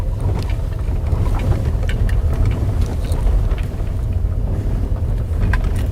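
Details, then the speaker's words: VW Polo Sedan driven on a rough stone road, knocks since about 10,000 km: irregular sharp rubbery-plastic clacks over heavy road rumble; owner suspects the automatic gearbox mount, not confirmed. "сейчас мы свернем на такой вот дорогу с камушками она совсем не идеальная и послушаем как стучит подвеска"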